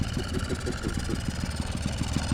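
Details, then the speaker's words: 1979 Yamaha QT50 moped abandoned about 35 years, new battery and carburetor, running wide open: uneven two-stroke putter stumbling and sagging instead of revving cleanly; owner suspects flooded or lean, needs tuning. Engine bogging. "and that's exactly how she sounds when she runs down when you got her wide open you here now she's probably needing some toning you know she feels sounds like she's bogging down maybe flooded maybe lean"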